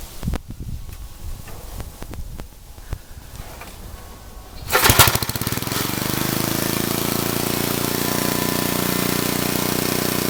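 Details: Old Troy-Bilt Horse I tiller, after valve cleaning, a new plug and a replacement carburetor: a few scattered taps, then it catches into a fast, uneven idle with occasional pops. It still backfires but sounds better; the cause is unconfirmed.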